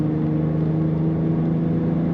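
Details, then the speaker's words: 2000 BMW Z3 convertible, automatic, just over 80,000 miles, at light cruise: steady, even low exhaust drone and nice little rumble holding pitch, no knocks or rattles; healthy exhaust, normal. "nice little Rumble to that exhaust excellent handling as most BMWs do have in a good road field"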